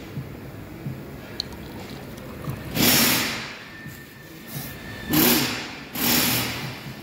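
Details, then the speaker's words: 2021 Mercedes A250 2.0 petrol with misfire on cylinders 1 and 4, leak-down test: bursts of rushing air hiss from the exhaust side of cylinder 1, exhaust valve not seated or bent; valve to be replaced. "Hindi seated yung bulve properly o kaya bend."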